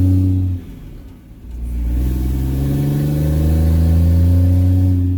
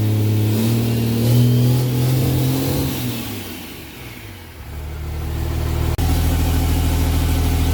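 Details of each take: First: 4th-gen Cummins diesel pickup with six-speed, just swapped to a 2nd-gen turbo, driven after bleeding the cooling system: deep loud roar climbing under acceleration, sounds like a semi truck. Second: 4th-gen Cummins diesel pickup after a 2nd-gen turbo swap, test-started with an open downpipe and no muffling: a very loud, raw diesel bark that sags and climbs with revs, far louder than the stock turbo. Loud exhaust from the open downpipe.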